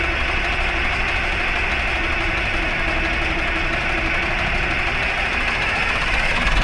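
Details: 1960s military crane diesel, 81 original hours, previously acting starved for fuel: steady, even idle with dense unbroken clatter, no stumbles or surging; running again, though a hydraulic leak remains.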